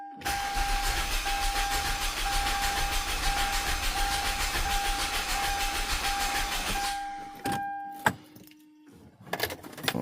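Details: 2007 Hyundai Santa Fe 3.3 after a timing chain replacement, cranked with the fuel pump fuse pulled to check cadence: about seven seconds of even, rapid cranking over a steady starter whine, no firing; normal cranking.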